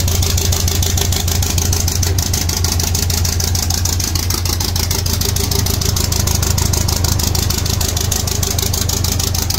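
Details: 1.8T 20V Audi A4 B7 on its first run after a big turbo, external wastegate, boost pipes and new coils were fitted: steady low rumble with an even pulse and a faint turbo hiss; smooth, normal idle.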